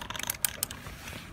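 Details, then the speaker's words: Micro Scooter Speed+: light, quick plastic clicks as the blue Speed+ button is wiggled. Its mounting nut is tight, but the button has free play and jiggles, causing the rattle. "it's just this thing here it's this blue thing here jiggling around like that that's what's causing the noise"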